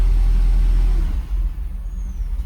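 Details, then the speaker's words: Mercedes SL500 on day 2 of diagnosis after a throttle body relearn. The idle is low and lumpy, sagging and surging, and only stays alive while the throttle is worked. It keeps wanting to stall; the owner suspects low or bad gas. "Yeah, it wants to die. I really think it's the gas, because it can't."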